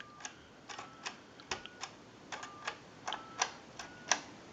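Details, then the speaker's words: Western Electric Princess telephone, final checkout after repair, dialing out to the analyzer: crisp separate clicks with short mid-pitched tone blips on a quiet line; dialing cleanly. "We want to go ahead and dial our numbers out. If you watch the analyzer, you'll watch the numbers roll by."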